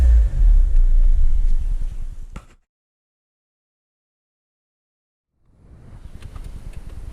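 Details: 2010 Renault Megane 1.6 petrol, 60,000 miles, after replacing cylinder 4 fuel injector, spark plugs and one ignition coil to fix a misfire: runs evenly, shuts off, then restarts quickly into a smooth, steady idle.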